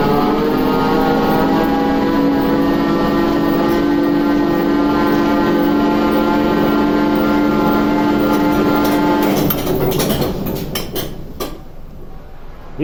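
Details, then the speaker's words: TEP70 0237 V16 locomotive diesel, first start after repair: steady droning run pulsing about four times a second, fading and dying after nine seconds; hard start because the governor was empty of oil, start retried. "Регулятор-то пустой, без масла. Вот сейчас начал тянуть. Коля, еще раз."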